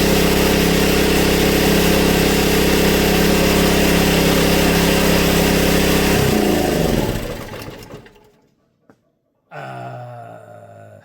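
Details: Honda EB1400X generator that previously wouldn't put out power, now making power at 112 volts, about 60–65 hertz: firm, even drone with steady hum for several seconds, then spins down smoothly and stops; runs healthy.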